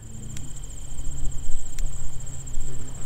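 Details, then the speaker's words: Electric fence: sharp snapping ticks about every 1.5 seconds as a gate wire shorts to ground on each charger pulse, causing the voltage draw; the gates are to be removed and redone. Fence arcing to ground. "someplace up the line here i have another problem we'll track it down i can hear it ticking hear that"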